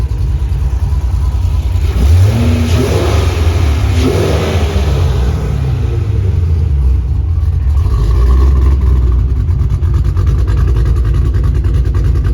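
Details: Ford Mustang GT 3V 4.6 V8, first drive after a new engine install with a new clutch, flywheel and headers: loud deep revving that settles back, pulling smoothly through the gears with no knocks or misses. Runs really good and the clutch feels smooth.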